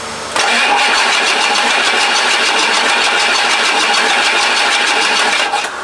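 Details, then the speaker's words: Rebuilt 7.3 Powerstroke diesel in 4x4 Ford Econoline van: starter spins hard steadily about five seconds, no firing; cranks but won't start. "all right let's try replace the cam position sensor try cranking it for a while"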